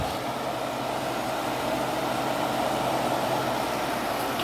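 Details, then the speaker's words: Whirlpool air conditioner after owner cleaned it: smooth constant airy rush and low steady hum, no rattles or cycling; already blowing really cold air; running normally. "It runs pretty nice. It's already shooting out really cold air."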